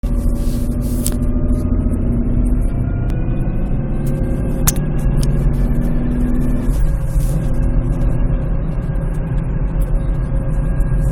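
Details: Nissan Pathfinder, engine cold: uneven hum with drifting tones rising and falling over a heavy low rumble, apparently from the transmission, gone after 5–10 minutes of warm-up. Owner wonders about a flywheel bearing; source unconfirmed.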